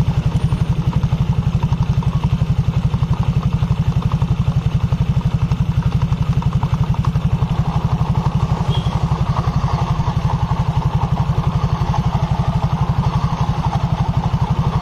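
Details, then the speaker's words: 2020 Honda Vario 150 at idle, muffler covered, rear wheel held still: a steady putter with a dull rumble from the CVT secondary pulley bearings, which disappears when the rear wheel is spun. Not severe yet. "Ini masalah sepele yang bunyi dari sini dari bimbel dan yang bunyi suara gemuruh ya gemuruh saat roda diam mesin menyala otomatis sekunder ini berputar berarti bearing pressan dan bearing bambu ini sedang berfungsi"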